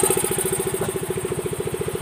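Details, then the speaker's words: Yamaha Mio M3 125 scooter idling after the worn fan pulley (kuli kipas) was replaced; right side heard, earlier rough kletek-kletek noise from the front now gone. Quick even putter, no knock or rattle: smooth, healthy idle. "Nah, tadi tuh kan awal mulanya kan bunyinya tuh banyak banget tuh ya. Mulai dari depan sini bunyi kasar ya. Sekarang dengarkan ya bagian daerah sini halus ya."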